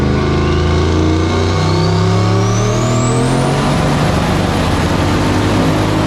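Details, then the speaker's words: 1965 Pontiac Tempest with a turbo 4.8L LS on the dyno with stiffer wastegate spring, over 7: it pulls hard, then the note turns ragged near the top. Ignition is breaking up under boost; the plugs are to be pulled and checked. "Still breaking up, dude. It's over 7, yeah? Yeah, it's breaking up. We're gonna put spark plugs off."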